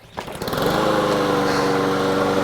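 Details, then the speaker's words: Honda GCV160 lawn mower engine after carburetor removal, cleaning and reinstall, fresh ethanol-free gas, fuel valve on: starts on first pull and settles into a steady, even buzz with no surging or sputter; normal running. "First pull, baby. That runs nice and smooth now."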